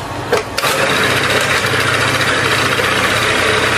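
A quick crank and catch, then a steady buzzing idle that holds without stumbling; the scooter engine starts and runs normally.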